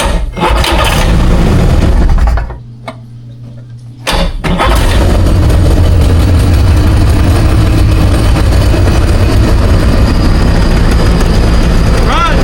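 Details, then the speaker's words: 2001 Ski-Doo three-seat jet ski, bought non-running, first start out of the water; it fires, stalls, then restarts into a loud lumpy rough idle and won't rev properly, smoking heavily. Rough running, cause unconfirmed; owner notes a water leak in the motor. "Alright, sounds a little rough around the edges."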